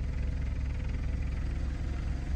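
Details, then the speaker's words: 2008 BMW 535i with N54 twin-turbo engine, just started: low, lumpy idle with uneven pulsing beat; owner about 80% sure the injectors are the cause, possible boost leak unconfirmed; rough idle. "so it might be the injectors I'm about 80% sure it's the injectors or 80% sure that we have to fix the injectors to even see if we have a boost leak or whatever the case may be"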